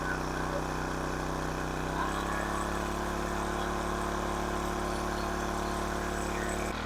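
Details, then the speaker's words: King Canada 1500 W generator, Chinese engine, running a hair dryer between medium and high: steady, fast, even drone sitting high; overspeeding at 76 Hz, governor spring tension set too high. "a little high 76 htz see if I can turn it down a little"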